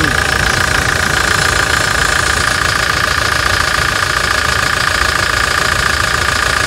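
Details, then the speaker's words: Toyota Hilux Challenger diesel at idle after decarbonization, with a new fuel filter, new pressurized filter and replaced EGR: steady, even clatter at about three and a half beats a second with no misses or knocks. A smooth, healthy idle. "Redondinho, né? Redondinho."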